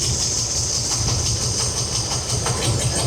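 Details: Chevy C20 V8 with a rebuilt Holley carb, apparently a 750, idle mixture set with a vacuum gauge to peak vacuum, reading in the green: a steady, throbbing, even idle with a hiss on top; a normal, correctly set idle.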